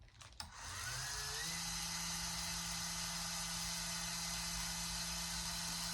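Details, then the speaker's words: FlowPro remote receiver replacement: after programming the remote to the board, pressing mix gives a short click, then a small actuator motor whine rising to a steady pitch as it rotates smoothly without grinding or stalling; lights come on, normal actuator operation. "You can see the light came on. The green light is on inside as well. And the actuator rotated."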